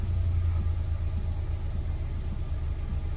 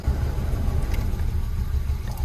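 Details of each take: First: 2010 Hyundai i20 1.4 four-cylinder petrol engine after misfire repair and codes cleared: steady even low rumble idling smoothly on all four cylinders, no misfire, no engine code. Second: 2010 Hyundai i20 1.4 petrol four-cylinder just started with a misfire: low, lumpy idle with uneven thumps, suspected to be running on three cylinders; engine light comes on after running; plugs or coils suspected before scanning codes.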